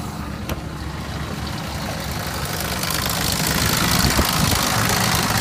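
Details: 2000 Jeep Grand Cherokee Laredo 4.7 at 175k, replacement block after head-gasket overheat: rough running with steady light knock and chattery rattle, sputter at 1000-1500 rpm, coil/misfire codes; mechanic diagnosed two slapping pistons and slack timing chain.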